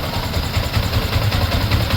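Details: Yamaha Sniper 155 idling after replacing the water pump seal, impeller bearing and impeller, before warm-up: even low thumps about five a second with no whistle or whine on top; a clean idle.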